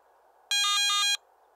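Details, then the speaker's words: Garrett ATX metal detector low-battery warning: one brief, high, warbling electronic alarm of about two-thirds of a second, repeating every 60 seconds alongside a flashing yellow light when about 30 minutes of battery life remain. "during operation the yellow low battery warning light will begin flashing when there's approximately 30 minutes of battery life remaining in addition to the flashing LED a brief audio alarm will sound every 60"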